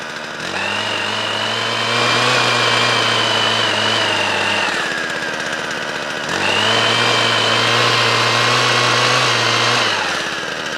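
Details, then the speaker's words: Small two-stroke garden machine after winter storage with two-stroke fuel, started on second pull, previously repaired: two clean revs to a steady high buzz and back, crisp throttle with no bogging or misfire; running fine. "so that's good so that's all running"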